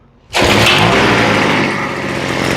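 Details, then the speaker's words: Craftsman B250 two-stroke leaf blower after the three-line primer setup was simplified to a built-in pump. Full choke, one pull, it catches at once into a high, buzzy, steady roar with no stumbling or surging. Normal running. "And this is kind of what I expected. And when you get rid of the complexity, you get rid of problems."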